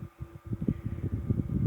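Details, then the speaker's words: Diehl Junior fan B12AJ16 after repair (cleaned, gearbox regreased, new speed switch and wiring). On low, set at 117, it draws 0.82 A (54 W): a steady low hum with a soft, even pulsing whir and no scraping, running smoothly. "okay so on low I got that set at 117 which is roughly in the middle of the range and it's drawing 0.82 amps which is about right"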